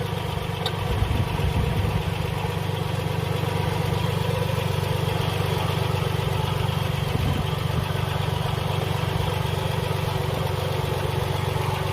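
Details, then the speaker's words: Car engine idling with antifreeze leaking near the water pump: steady low rumble with a faint rough churning from beneath the pump pulley; failing water pump. "Coming from beneath this pulley. Hear that sound?"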